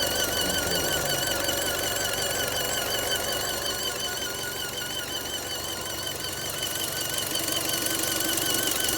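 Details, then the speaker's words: Fiat engine bay at idle: a wavering high squeal and light ticking about two to three per second. The abnormal noise's cause is suspected to be a broken part, not confirmed. "か変な音が鳴ってるよな。宙に壊れたか。"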